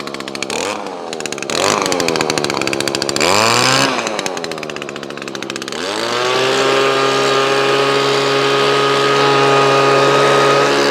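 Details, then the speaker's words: Owner's own two-stroke machine with new carburetor, stored since last year on Aspen fuel, primed and choked: fires first pull, revs up, then settles into a steady even buzz without misses or hunting; survived winter with no issues. "so this hasn't been started since um last year and we're now April so it's priming and it's got Aspen in here it files straight away"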